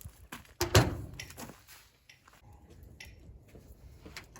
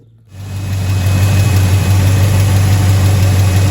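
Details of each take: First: Abandoned 1977 Chevy Silverado V8, sat 4–5 years after a fire, carburetor cleaned, fresh battery dropped in: starter turns it over in steady bursts but it never catches; fuel pump works, cause not yet found. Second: Abandoned, fire-damaged 1977 Chevy Silverado after a new front seal and about a gallon of gas: catches and settles into a steady, even idle, smooth low rumble, no ticks or knocks.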